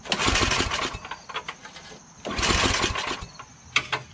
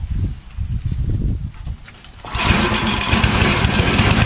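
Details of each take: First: Yard Machines 8HP Tecumseh snowblower that surges, hunts and won't prime: two bursts of pull-starter cranking with coughing chuffs that die away. No fuel reaches the carburetor; it starts with spray, so a clogged primer hose or gunky carburetor is suspected. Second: Yard Machines 8HP Tecumseh snowblower that surged and hunted, after replacing carburetor 632334A, at full choke and full throttle: it catches after a couple of pulls and runs at a steady, even beat with no surging; normal running.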